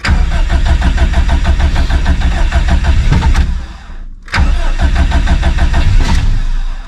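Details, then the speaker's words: Subaru STI drag car with stock OEM EJ257 longblock, turbo, no lift pump, cold start after cranking to build fuel pressure: catches roughly with a lumpy, uneven beat, nearly dies around four seconds, stumbles back; cold-start setup needs work. "almost well it's safe to say I'm going to need to work on the cold St"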